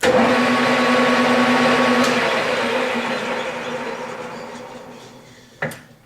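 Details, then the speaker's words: Millport 1340 lathe, 220V 3-phase, spindle run at 1300 then high speed 1800 rpm: smooth even hum with steady mid tone, no knocks or grinding, fading gently as it slows; healthy lathe. "1300. And the high speed of 1800. So as you can hear, it absolutely runs beautiful."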